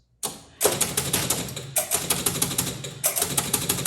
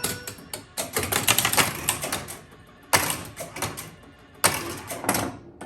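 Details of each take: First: 1976 Bally Flip Flop electromechanical pinball: repeating bursts of sharp relay clacks and stepping reels about every 1.2 seconds; a score-reel reset loop because one score reel stays at one thousand and won't return to zero. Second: 1976 Bally Flip Flop electromechanical pinball, ball drained with double bonus unlit: bursts of quick mechanical chattering from relays and score reels as the end-of-ball bonus scores 13 times for 13,000 points; bonus scoring works normally.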